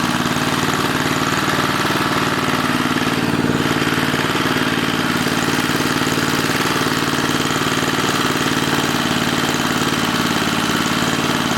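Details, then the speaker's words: 1980 rototiller, small single-cylinder running flat out at a high, buzzy, steady pitch; wrong governor spring letting it overspeed, found after starter clutch adjustment. "all right so we don't have the right governor spring and we need to fix that"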